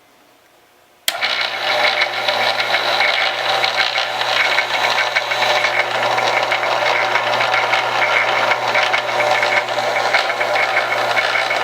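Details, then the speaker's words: Staples SPL-TXC18A crosscut shredder found dead in trash, now rewired through the switch bypassing the paper sensor (no reverse): motor kicks on abruptly, settles into steady hum with light even cutter rattle; running normally. "okay so that appears to be working well now the only thing that with wiring it this way is you're not going to have the reverse"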